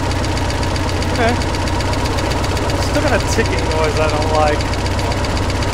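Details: Budget boat inboard engine after a rebuild attempt following failure on first lake trial, run on the water hose: uneven knock coming and going over steady idle; ticking returned, owner suspects a bearing or two destroyed again.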